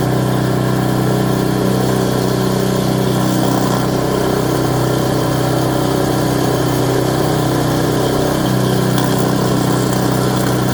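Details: Craftsman Series 2 snowblower bought at auction, small engine with points ignition, run after reassembly and continuity check: steady, even low drone with no misses or surging; idling smoothly, normal idle.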